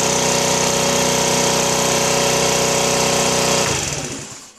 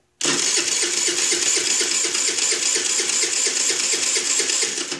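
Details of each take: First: Chinese 49cc scooter, after a no-start was fixed by replacing the CDI box: a steady, even buzz at constant speed with no misses, then a clean shutdown. Running normally. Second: Chinese 49cc scooter cranked with brake held: starter spins the engine at an even five or so beats a second but it never catches; no spark, crank no start from a failed CDI box, fixed by replacing CDI.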